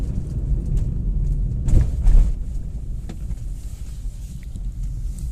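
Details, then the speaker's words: Hyundai Grand i10 petrol, road test after replacing a humming manual gearbox with a used unit; old gearbox likely ran without oil: steady low road rumble, no whine, hum or grinding, gears shift properly; normal gearbox operation. "कोई आवाज नहीं है gear भी सारे shift हो रहे properly सब"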